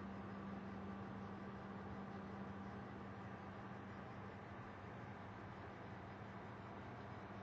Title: Desktop buzzing noise